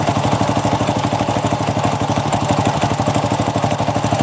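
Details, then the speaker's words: Honda Supra motorcycle idling after a kick start, the front engine section sounding "horrific": a rapid, even clatter at about three knocks a second over the small single, from a loose, worn clutch housing and bent crankshaft with runout. "oke eh step ini suaranya horor ya teman-teman untuk bagian sini untuk bagian mesin depan"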